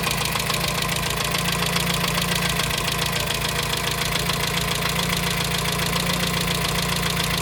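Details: 1987 Dacia 1310 (Renault 12) petrol engine at steady idle: regular light knock at engine speed over busy top end, unchanged after bearing change; suspected piston pin or piston skirt, earlier thought cylinder 1 tappet, unconfirmed.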